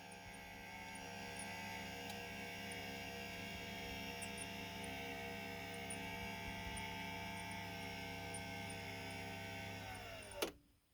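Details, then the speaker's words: Sabaj K-1 ECO motorized TV lift, a few months old and now lowering very slowly: even motor drone with a faint squeak only while lowering under the TV's weight, not when raising. "so if it goes up don't hear the squeaking when it goes up and you think it's easier to put a TV down you got the way the TV pushing down on it"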